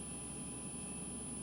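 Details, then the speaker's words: GE Profile refrigerator PGCS1RKZA just plugged back in after replacing failed 470uF 25V capacitors on the control board; the compressor runs with a steady hum and a thin, constant high-pitched whine. Owner unsure whether it is normal. "and let's go plug it in sounds like compressors on got some high-pitched whining out of this thing"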